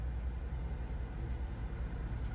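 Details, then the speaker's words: Vehicle at Copart auction, 27,000 miles, AC on and blowing very cold: low steady idle rumble, even smooth tick-over with no knocks or stumbles; sounds good and smooth. "cold cold AC very cold rev here see how it sounds good idling very smooth"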